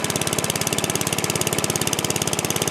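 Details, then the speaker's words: Free used single-cylinder lawn mower, cold start (float possibly stuck, loose air cleaner cover): chugs fast and unevenly with coarse but steady firing; rough running, owner suspects it is leaking fuel. "nice yeah see it's got issues I think it's leaking fuel out"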